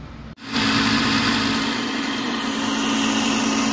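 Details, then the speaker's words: 6-ton Trane package unit gas furnace draft inducer motor, also found with a cracked heat exchanger: loud, rough droning roar with a steady hum underneath; ignition still works, but the failing inducer needs replacing. "my inducer reassemble turn it back on I'm sure you can hear that it still sounds like garbage but at least we'll be able to see if everything else fires up and we do have ignition so it does work but we do need to replace that inducer ASAP"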